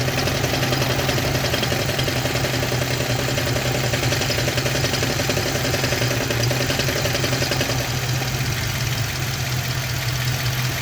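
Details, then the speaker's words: Manual-transmission car with a hole in the transmission: uneven knocking over a steady idle with the clutch engaged, going away when the clutch pedal is pressed; clutch knock at idle. "right now i'm gonna step on the on the clutch right now and the la the clunking noise or the knocking noise is going to go away"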